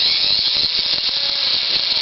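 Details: Axial XR10 stock front axle gearbox with ceramic flange bearings, spun: fast, gritty, growly ratcheting with a thin squeal as the gears have too much play; a failed bearing is suspected.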